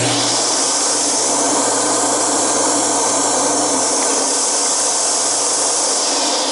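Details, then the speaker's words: Sharp Twin Energy upright vacuum, twin-fan suction motor running: strong, steady high-pitched roar, no surging or rattles; normal suction motor run with plenty of power. "the twin fan I'll tell you what that machine is producing a lot of power fair enough pranked even by today's standards"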